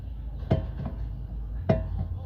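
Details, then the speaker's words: Two sharp metallic clunks about a second apart as a bar levers up the knuckle of a 2010 Jeep Wrangler with wheel removed; play from worn upper and lower ball joints, which are being replaced. "you won't be able to see much of the play you have to see, but I do think that you can hear the noise, so the top and bottom ones are wrong."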